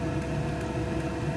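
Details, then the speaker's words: Vevor XMZ D2 2 kW diesel heater after backfiring episodes, now running hot at full heat: even, steady low roar and fan whir with no pops or surges; burning cleanly, seems normalized though not fully trusted yet. "everything seems to have normalized now now that it's running and hot seems to be fine it doesn't fully have my confidence yet but we'll see"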